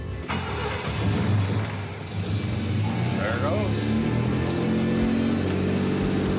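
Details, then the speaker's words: 1966 Pontiac Tempest with a rare overhead-cam inline six, still carbureted before its EFI conversion, long dormant, with 12.3 volts at the battery: it cranks, catches right away and settles into a steady, even idle with no misses. Starts and runs normally. "Just like that, it's alive. What a difference."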